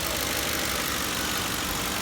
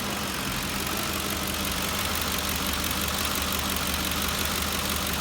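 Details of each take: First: 2004–2008 Ford 5.4L 3-valve V8 after replacing coil packs and spark plugs for a cylinder 7 misfire and reconnecting a hissing vacuum hose: steady V8 idle, no miss, slightly high rpm until warmed up. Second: 5.4L 3-valve Ford V8 (2004-2008 F-150/Expedition/Navigator) misfiring only at idle with an uneven, lumpy beat, rpm fluctuating and dropping below 500. Code points to cylinder 7 misfire; the coil pack is suspected.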